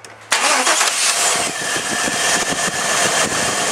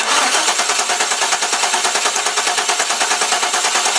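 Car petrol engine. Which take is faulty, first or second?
second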